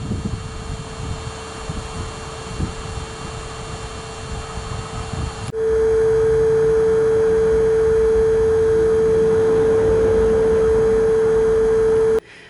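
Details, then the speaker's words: VW/Audi 2.0 TDI (2009–2015) fuel priming via OBDeleven Basic Settings block 35: the rear in-tank lift pump and the engine-bay auxiliary pump both run, giving a steady even mid-pitched hum that holds, then cuts off. Both pumps are priming normally. "And you'll hear both of them running in the front and rear. So go ahead and do this for 3 minutes."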